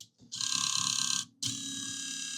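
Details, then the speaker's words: Nintendo Wii with a faulty disc drive, after blowing dust out. Loud, high, buzzy gear whirring in two long pulsing runs as the loader tries but fails to align the disc. A mechanical fault; owner wonders whether grease is missing. "Let's see what the gears do now. They're so loud. Am I missing grease?"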